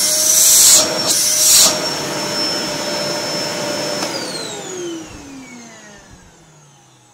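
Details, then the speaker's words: Samsung SC4740 1800 W canister vacuum after repair of a noisy, humming motor; steady high motor whine for about four seconds then smooth spin-down at switch-off; healthy motor run. "вот и все пылесос мы починили"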